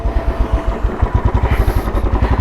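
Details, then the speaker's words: 2013 Royal Enfield Classic 500, fuel-injected and stock ECM, on a ride after repair: it had a misfire because one of its two spark plugs was dead and the other weak, and both plugs were replaced. Even thump about eleven beats a second, no skipped beats. Normal running. "അതന്നെ partially വീക്കായിരുന്നു, അതുകൊണ്ടായിരുന്നു missing വന്നിരുന്നത്. ഇപ്പോൾ 2 plug മാറ്റിയോടെ ഒരു പ്രശ്നം solve ആയിട്ടുണ്ട്."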